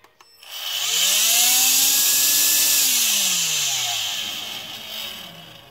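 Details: AEG CX7 cordless vacuum motor after cleaning dirt off the fan impeller that made it unbalanced, loud and strongly vibrating: spools up to smooth high whine, holds steady, winds down evenly, fan now balanced and quieter.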